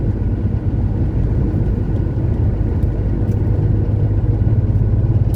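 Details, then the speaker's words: 1970 Porsche 911T on its first road test in 12 years, about a mile into the drive under light load: deep, even exhaust rumble with no stumble or surging; the earlier fuel starvation is blamed on a fuel pump giving too little pressure. "Well, we've gone about a mile now and I can already tell you that this is way better."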